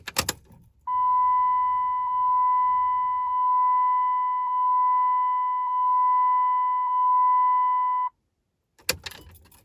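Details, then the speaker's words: Dodge Ram Cummins diesel after oil and fuel filter change (Baldwin filter), key on without starting: a clean steady electric whine for about seven seconds then stops, the fuel lift pump priming normally to refill the filter bowl. "turn your key on, but don't start it, and you'll hear the fuel pump click on, and you want to do that maybe 5 or 6 times, and that will fill that bowl back up with fuel, and you should be all set."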